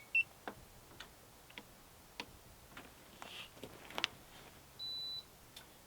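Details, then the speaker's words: F40C4TMP portable 12V/110V refrigerator, powered from a battery pack through a household plug and switching on at 1°C while being set to −5°C: one short high-pitched beep in a quiet room. Normal power-on beep. "The refrigerator is now on. You hear that high-pitched beep, and I have it set."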